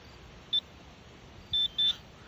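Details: Garrett Pro-Pointer AT pinpointer, button held down: a short high beep, then after a second two longer beeps in quick succession, acknowledging entry into its sensitivity settings mode.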